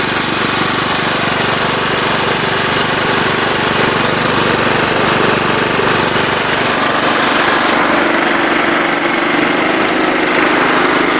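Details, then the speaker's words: John Deere LT133 with a Kohler Command single-cylinder engine, held at wide-open throttle: a loud, steady, even roar, running cleanly. An unidentified rattle is noted elsewhere on the tractor. "That's wide open throttle right there, so you can tell there's not a lot of travel in the throttle."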